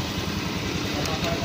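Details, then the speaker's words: Honda Beat FI scooter, 26,000 km, after repair of a noisy, grinding engine by replacing the camshaft assembly with its worn bearing. A quiet, even idle with steady low pulsing and no grinding or top-end rattle. Normal, healthy idle. "Ayan kung mapapa ingan niyo mga Kar yan tahimik na ulit siya Yun lang ang Pinalitan ko o"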